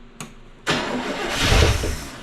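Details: 1974 International pickup that sat for years, after fixing spark and cleaning points, given gas: short crank, then it catches with a sudden roar and settles into a rough, rising run; engine starts and runs.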